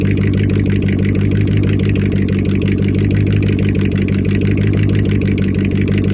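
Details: First start-up after a week down due to a faulty Amazon alternator whose pulley bearings were believed bad and screamed: even, steady low idle rumble with no squeal or whine from the belt area; it seems to run normally.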